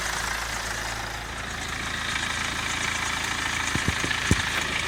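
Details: BMW 116d N47 diesel idling; clatter with light metallic rattle and a few sharp ticks; owner suspects timing chain, unconfirmed; rattle at idle.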